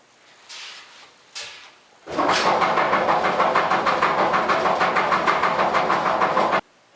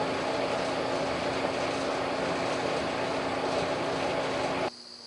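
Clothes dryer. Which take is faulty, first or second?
first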